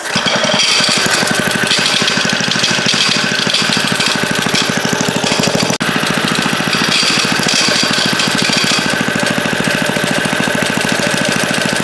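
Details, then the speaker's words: Revived late-1950s rototiller engine, carburetor and fuel tank ultrasonically cleaned, running steadily: fast, harsh metallic chatter, loud and constant, confirmed coming from the recoil starter. "at The Recoil sure making a lot of noise though I have to check that out something's not right in there"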